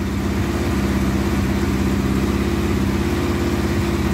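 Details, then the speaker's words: Kawasaki KZ1100 shaft-drive motorcycle, restored, cold start with choke half on: brisk, even fast idle about 1500 rpm with steady firing beat and no knocks or misses; normal cold idle on choke. "turn the ignition on and you can hear it for yourself now the revs are up a bit about 1500 because the chokes out which is to be expected"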